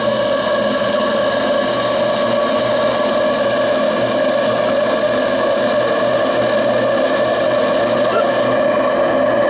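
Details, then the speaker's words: RC steam engine (FBI 2, 5 cc) on restored boiler with 300 g burner, superheater replaced by straight pipe, pressure lowered after safety valve test: steady even hiss and hum, no knocks or surges; running smoothly around 2 bar. "Et du coup j'ai fait baisser la pression, mais ça n'a pas empêché la machine de fonctionner."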